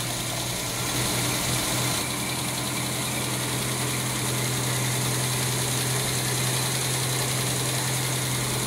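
Steady low hum with an even, unbroken beat and no misses or knocks; the carbureted engine is idling smoothly.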